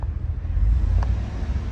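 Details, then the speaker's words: 2018 Cadillac Escalade V8 after DOD delete (BTR cam, LS7 lifters) for lifter tick, shorty headers and Magnaflow muffler: revs up and settles with deep even rumble, no ticking; no codes, good oil pressure. "Revving it up. Don't hear anything."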